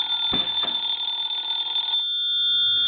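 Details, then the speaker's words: Vintage Siemens Milano Italian wall telephone, hook switch held down: bright fast metallic bell at about four strikes a second, cutting off cleanly; normal antique ringing. "now that sounds a little more like an antique phone so I think we're well on our way to repairing this cell phone"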